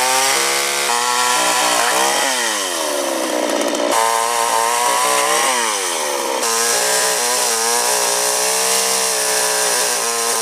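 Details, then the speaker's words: Craftsman 3.7 / Poulan 3700 chainsaw just fitted with a new carburetor and fuel line: revs up and back down smoothly several times over a solid, even buzz with no stumble or bog; running well again. "all right that sounds pretty good let's take it outside and give it a try"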